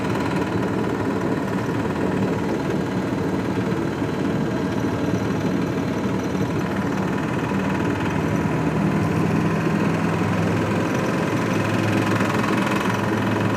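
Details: VAZ 2106 engine at steady idle: irregular knock about two per second over the hum; internal knock of unclear origin.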